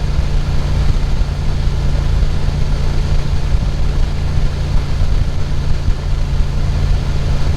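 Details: Dodge Ram after fan clutch replacement, belts checked, no shaft play: starts and settles into a low, steady, even rumble with no knocks or squeals; normal idle.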